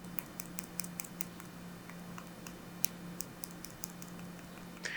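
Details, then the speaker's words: Samsung Galaxy Z Fold 6 shaken: faint, light plastic clicks in quick irregular bursts from a loose power button, rattling when shaken or shifted in hand; reported on other early units, not affecting function. "it rattles when you shake it and even when you're Shifting the phone around your hands like when you're trying to open or close it"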